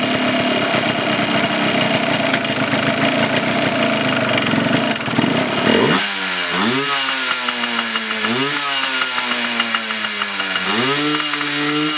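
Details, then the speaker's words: 1989 Yamaha Blaster 200 two-stroke, first start after sitting 15 years, choke out: ragged idle that sags and stumbles between throttle blips, nearly dying; mixture adjuster has little effect, idle speed set too low. "Idle it up a little bit, it seems like. Not getting much out of the mixture adjuster. It's I can feel it or hear it make an effect, but it's just not idled up enough."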